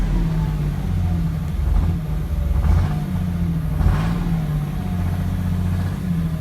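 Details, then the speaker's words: 2006 Cummins diesel idling with a slight uneven lope, the beat swelling and dipping every second or so; symptoms began suddenly. It is not a lope tune; the owner suspects a bad injector, unconfirmed. "So I think I have a bad injector."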